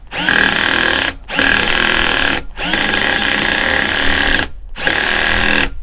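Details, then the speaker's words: Parkside PBSA 12 D4 12V cordless drill, 28Nm, fresh battery, torque setting 13 driving screws: motor runs in short bursts as the clutch ratchets and slips at its set torque, working normally. "Torque setting 13 And here some clutch slipping occurred"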